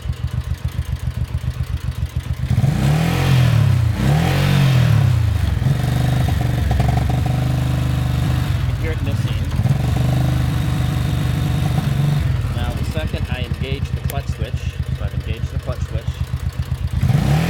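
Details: 1983 Honda Shadow VT750C V-twin idles with a loping beat, then revs roughly, misfiring above 3000 rpm; bad ground first suspected, solved by removing defective Spark Unit #2.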